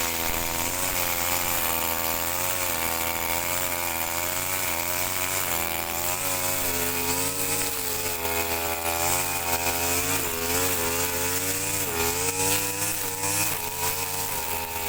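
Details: 55cc two-stroke petrol brush cutter engine for commercial gardening, started in normal setting: steady high buzzing note with only slight speed wander, running evenly throughout; healthy normal running.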